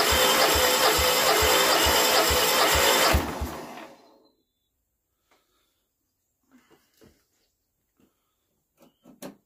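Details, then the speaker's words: Westwood ride-on lawnmower, 18HP Kohler Magnum twin, unused 23 years: even cranking pulses about two per second with weak firing that never catches before stopping; suspected fuel starvation, empty carb bowl. "oh i think i think i need to fill that cardboard up with petrol and we might be in with a better chance but that's hopeful i think she's gonna go"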